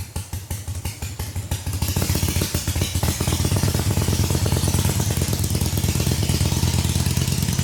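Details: 1985 Harley-Davidson Ironhead Sportster on a road test ride, with a rear cylinder jug leak; loping V-twin beat about three pulses a second with a steady exhaust thump, no knocks or grinding, runs pretty good though not perfect.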